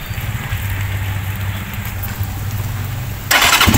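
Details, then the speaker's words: Rusi TC Macho 125 single-cylinder motorcycle started after being soaked in heavy rain: steady even thumping idle right after starting, no misfire or stumble; normal idle. "Wapo ating Rusi Tishimatsu 125 kahit na basang-basa sa ulan. Grabe ang lakas, no? Talagang power na power, oh."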